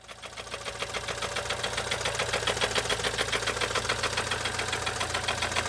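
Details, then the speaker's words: BMW Z4 N20 petrol engine running; fast even metallic rattle, three to four clacks a second, chain heard bouncing; knock cause unconfirmed after oil, compression and timing chain checks. "so the clip you just saw is kind of the summary of what's going on with the engine you can hear the metallic rattle you can hear the chain bouncing around"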